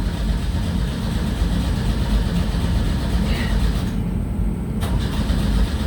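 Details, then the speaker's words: 1984 Pontiac Fiero in a cold garage (about 18°F wind chill), jury-rigged clamped battery. Engine turns over evenly but never fires: cranks, no start. It ran before; owner suspects something went wrong when the spark plugs were cleaned. "It's rolling over no problem, and before it ran, so I think when Dad and I were cleaning the spark plugs, we did something."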